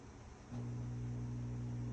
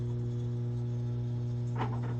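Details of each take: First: Whirlpool stacked washer on a drain cycle with the door locked: a steady low hum holds with no water moving; the drain pump hums but does not drain, likely a clog or something holding back the impeller. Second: Whirlpool stacked washer that wasn't draining or spinning: steady low hum with an even buzz, no grinding or gurgling, as the drain pump comes on; normal drain pump operation.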